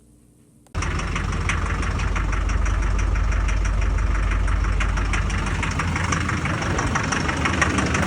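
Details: 2005 Duramax LLY diesel truck after fuse box damage and VATS disabled with HP Tuners, fixing a no-start: catches and settles into a steady, even diesel clatter with low rumble, no stumbling; healthy idle.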